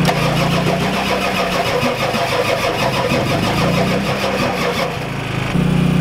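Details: Ford F-250 XLT 7.3L IDI diesel, glow plugs connected, new injectors, ether tried: steady cranking about three turns a second, even compression, no firing; no fuel through injectors, owner suspects weak injection pump, shutoff solenoid untested.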